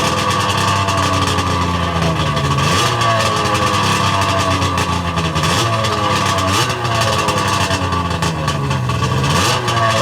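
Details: Sea-Doo 717/720 two-stroke after a complete WSM top-end rebuild (rotary valve, intake O-rings), first fired ice cold with idle set low. It blips repeatedly, pitch jumping and falling back to a busy fast idle, crisp and eager.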